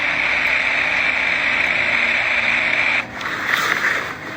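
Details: Bypassing irrigation control valves heard through an HL 5000 acoustic leak detector: steady, even high-pitched hiss, dipping briefly then returning, as water passes valves that are off.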